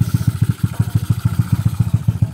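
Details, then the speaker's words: Motorcycle, 4-valve single-cylinder head refreshed after valve trouble on a nearly three-year-old setup, air screen missing: steady idle at roughly eight pulses a second, valves now quiet, but a light loose clatter from the Koso carb; carburetor slide rattle. "At okay na, tahimik na ang ating ginawa ni Refresh. And medyo maingay na ang kanyang koso carb. Yung parang kalampag"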